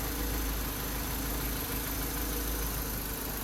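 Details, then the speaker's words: Mercedes-Benz 230E, odometer 150,000, idling right after an oil change with Liqui Moly 10W-40: a low, soft, even idle with no ticking or knocking. The engine became quiet once the fresh oil was added. "เติมน้ำมันเข้าไปเสียงเงียบเลยนะครับ"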